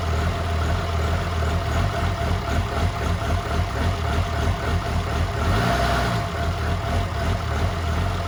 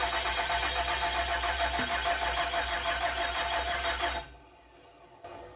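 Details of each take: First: 2007 truck with a freshly swapped 1400hp 6.7 diesel at first fire, downpipe only, on low 10.5 V: a deep, steady idle with a faint uneven lope. The 14 mil is thought to give the chop; otherwise the engine is healthy. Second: 2007 truck with 6.7 diesel swap, first fire attempt: steady fast starter churn with even compression pulses slowing as voltage drops, no firing; crank no start because injector connector was unplugged.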